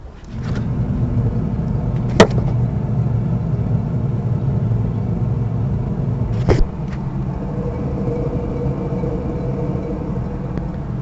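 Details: Audi 80 B3 rear wheel raised on a jack and spun by hand: steady low growling hum from a worn rear hub bearing, which also shows play when the wheel is rocked vertically.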